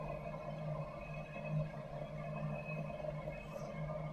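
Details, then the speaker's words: Campo 200,000 BTU heater, thermostat-controlled, fed through 25-foot 1-inch hose; flame just lit after air purged from lines, fans not yet on while heat exchanger warms; steady low hum, even tones, no surging or popping: normal burner operation. "So it takes a second for all that air to get pushed out of the fittings and out of the lines. You can hear the flame kicked in now."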